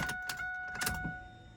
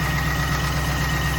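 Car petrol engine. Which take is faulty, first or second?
second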